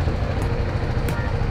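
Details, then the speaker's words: BMW G310GS motorcycle after replacing a dead battery with a new Exide 12V 9Ah battery: starts without trouble and holds a steady, low, even idle with no misses, knocks or rattles; normal idle. "Let's see if it starts up there it goes and it starts without any trouble."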